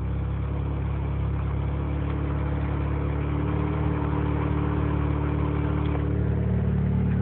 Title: 20B rx7 rough idle